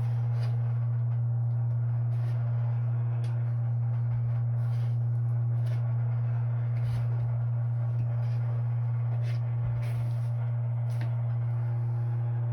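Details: Pipework near water heater with two expansion tanks at about 70+ PSI, no leaks, vibrating intermittently when faucets open, stronger on left unit: steady low hum with faint ticks; pipe vibration hum, cause unclear.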